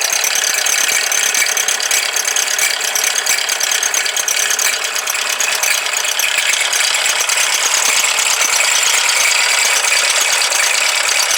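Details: Mazda CX-5 engine bay, dealer-serviced since new, belt previously snapped; fast, fairly even, high sharp ratcheting tick about three per second over the engine; abnormal noise, cause unknown.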